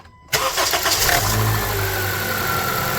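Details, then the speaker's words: 2014 Honda CR-V cold start after replacing the VTC spring with a Spring-Start extreme kit (thicker 0.63 vs 0.51 wire): engine catches quickly and idles smoothly, cold start rattle gone. "So we need to be careful about the spring bending, and then Rattling sound gone now."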